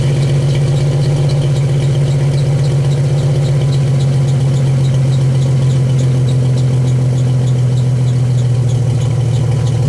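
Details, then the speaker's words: 1991 Jeep Wrangler YJ with the catalytic converter deleted and a new two-chamber Flowmaster-style muffler: a loud, deep, steady exhaust drone with an even pulse and no rattle. Healthy, though louder than the owner wanted. "yes not too shabby it's a little louder than i really wanted it but hey it's okay i'll live with that"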